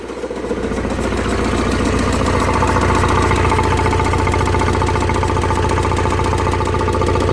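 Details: Vauxhall Vivaro M9R diesel idling: steady deep knock about two and a half per second; bottom end gone, crank bearing shells spun from oil starvation after oil pump failure.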